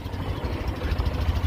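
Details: Tata Nano CNG just started: uneven, stumbling low thumps at idle with skipped beats, misfiring and backfiring, stalls on throttle. Plug leads and spark plugs already changed; unplugging O2 sensor coupler reduced the misfire, suspected cause.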